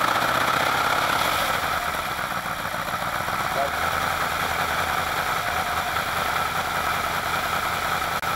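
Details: Alfa Romeo Montreal V8, first run after head gasket repair, valve stem seals, oil leak fixes and Spica pump drive pulley bearing replacement; well-worn engine: steady even idle, no knocks or misses, smoother with better oil pressure. Normal idle.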